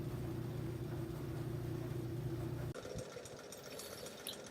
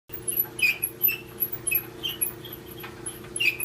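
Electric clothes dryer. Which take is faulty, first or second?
second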